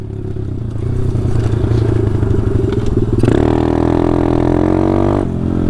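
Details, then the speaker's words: Taotao DB17 125 dirt bike ridden after a new carburetor upgrade, pulling hard and jumping through the gears with way more power. Revs climb cleanly, then a shift to a steady higher pitch with no popping or stumbling: normal running under load, sounding much better. "crazy dude it sounds so much better too"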